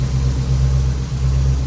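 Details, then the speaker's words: Dad's Jeep, fuel pressure low (50 vs ~60 expected), then pressure reaches 56 but engine still idles rough: low rumble swelling and sagging about twice a second; regulator gauge reading sporadic, fuel problem suspected, not confirmed. "Still isn't running very good though."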